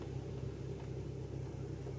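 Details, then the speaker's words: 2004 Infiniti FX35 (complaint: hesitation, check engine light, P0507 idle too high) after scanner idle air volume relearn completed: low, quiet, even rumble at steady idle around 662 RPM, no hunting or surging; normal idle, idle problem fixed. "now it says completed so I guess that's it my tap down did it oh I love this you know I was pleased with this my scner see it's already relearned it's already that's probably 800 let me see the RPM let's go here see it's uh 662 RPM wow that was very impressive"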